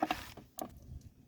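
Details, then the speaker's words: Mercury 40hp two-stroke outboard, leg removed after losing power: turning crank by hand gives loose metallic clinks and rattles, broken bearing pieces spinning in the crankcase, grinding damage seen; crank must be split. "you can hear bits of metal in there two more bits of bearing spinning around so we are going to have to split the crank"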